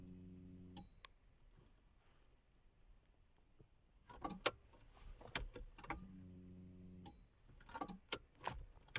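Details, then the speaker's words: 1994 VW Golf 3 Variant after fuel pump replacement, heard from the driver's seat at key-on: short electric buzz of about a second, repeated between key clicks as it builds pressure. Normal fuel pump priming. "So I can hear the fuel pump. I'm gonna let it prime for a bit."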